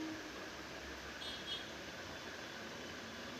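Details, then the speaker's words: Ceiling fan at high speed after oiling its bearings without taking it down: steady even airy whoosh with no more of the earlier squeak or chirp and grinding; running normally, fixed. "और guys आप देखेंगे यहां पर आपको बिल्कुल भी जो पहले आवाज आ रही थी चूचू की वो किसी भी टाइप की आवाज नहीं आ रही है।"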